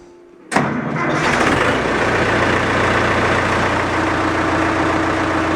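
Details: Massey Ferguson Super 90 diesel, first test run after new head gasket, planed head, new fuel shutoff valve and rubber fuel line, with a little throttle: cranks briefly, catches cleanly, settles into a steady, even idle with no misses or knocks.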